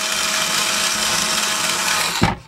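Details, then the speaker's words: Vintage Tandy Radio Shack computer truck toy, two batteries, motor and cam drive, after reattaching a loose wire and a detached gear: even high whir spinning the tires about two seconds, stops cleanly; working normally. "So inside here is a motor and a cam. And you're going to see what the cam does in a second. So I'm going to turn it on. There's a switch right here. The tires move."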